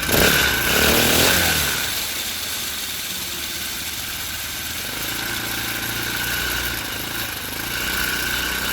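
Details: Four-stroke motorized bike running on a stand after fitting a new floating spring-tensioner idler pulley on the drive chain. Steady fast putter with a light chain whir and little rattle or slap; chain vibration is much reduced.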